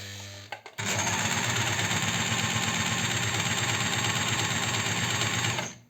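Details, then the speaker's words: Astralux M10 sewing machine that hummed but wouldn't sew, just oiled: busy rattling clatter with a thin high squeak, still dry and binding because the oil hasn't penetrated yet; more oiling needed. "как она еще скрипит как несмазанная то есть масло еще не проникла потому и надо включать на подачу подклинивает"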